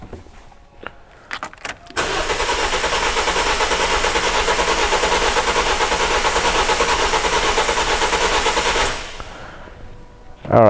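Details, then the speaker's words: 2007 Toyota Corolla four-cylinder petrol with rough idle, cranking with ignition coils unplugged for a compression test: about seven seconds of lumpy, uneven cranking; two cylinders low at 82 and 86 percent relative compression. "so we got um two bad cylinders here 82 and 86 percent compression now this compression test is only going to give you sort of like a compression analysis overall it's not going to tell me which linear is bad so we know there's some kind of compression issue we can hear it in the startup noise"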